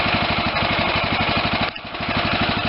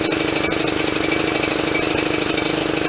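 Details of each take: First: Steady even single-cylinder thump at idle, no stumbling, from a Kohler CV460S Command engine on a John Deere LT160 lawn tractor after replacing the overfilling carb with an aftermarket one and freeing a stuck choke. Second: John Deere LT160 with Kohler CV460S single-cylinder 460cc engine, right after the aftermarket carburetor swap, at a steady but slightly lumpy idle with occasional soft stumbles. It is still over-fueling (running rich) because the choke was stuck.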